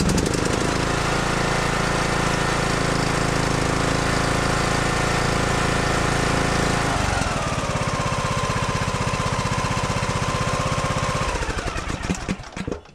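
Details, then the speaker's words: John Deere D110 mower that shut off after 10 minutes, after clearing the blocked fuel line and replacing the fuel filter, cranked on choke: fast steady chug around four beats a second, settles into an even run, then dies away. Fuel pump fine. Normal cranking and starting. "Let's go ahead and give it a choke, and let's crank it, see how long it takes for that thing to start spitting fuel up there."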